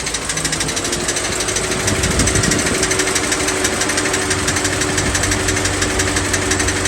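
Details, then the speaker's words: 2007 Chevy Suburban 6.0 LS V8 idling, over a year after a rear main seal job: sharp, rapid snapping clicks about three a second from the cracked flexplate flexing on its fracture. "I pause it here because I want to note that noise you heard when the vehicle was running coming from the flex plate it's the metal or that fracture flexing back on itself making a noise similar to you snapping your fingers to make them pop but just at a rapid speed"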